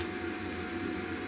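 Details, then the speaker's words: Neotec NT-2501 25" arcade monitor chassis on power-up with light bulb test on B+: one sharp relay click over faint steady hum, transformer energizes, bulb lights, B+ reads 121.3 V; normal power-up. "We're hoping to hear a click and a high energization whine from our transformer."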